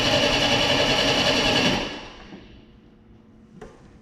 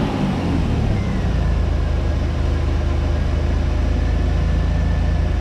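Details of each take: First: 1989 Pontiac Firebird, about 30,000 miles, sitting since 1991, after fuel pump replacement while flushing rusty tank fuel: buzzy high electric whine for under two seconds after key release, kept on by the oil pressure switch; fuel pump running on. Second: 1989 Pontiac Firebird 2.8 engine after fuel pump replacement, last titled in 1991: low steady rumble with even pulse, no stumbling; settling into fairly smooth idle, fuel pump running and injectors firing.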